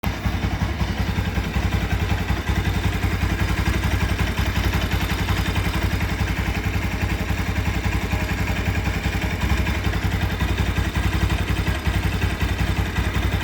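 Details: Bajaj Rouser NS200 at idle: a loose, fairly regular clatter of about two to three per second rides over the low thump; the cause is not identified.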